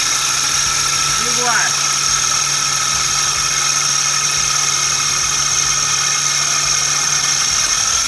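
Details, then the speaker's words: Suzuki Every Turbo, engine noise traced to the starter: sharp rising squeal over a steady high whine as the engine cranks; starter bearing noise. "pode desligar agora o rolamento da partida é marcar vamos ver"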